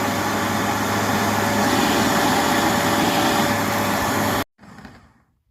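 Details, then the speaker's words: Bissell PowerBrush Pet vacuum test run after replacing the melted, worn brush-roll belt: a steady, even vacuum roar with the earlier ticking and grinding gone, then switched off. Brush roll and belt are running normally. "making vacuum noises but the ticking that weird grinding noise that it was making is gone"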